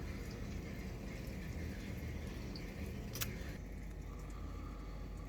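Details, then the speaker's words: Electrolux GCB 11 Basic X Fi gas boiler after circulation pump replacement, system pressure about 2 bar: runs almost silently with a soft low hum, no pump whine or rattle; earlier it was noisy like a tractor. "так вроде пока все работает ни где ничего нет счет давайте я через пять минут видео включу посмотрим что у нас получится как он будет дальше себя вести пока тишина"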